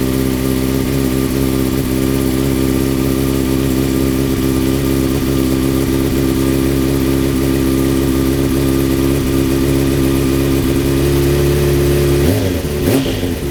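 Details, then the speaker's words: 2004 Honda CBR600RR with custom catless full-system header, final start after sitting two weeks in cold weather: deep, steady idle with even rhythm, no puffing or ticking, quick blip; deeper and louder at higher rpm than before; normal idle. "So as you're gonna notice, the main difference was just a little bit deeper now, a lot louder at higher RPMs."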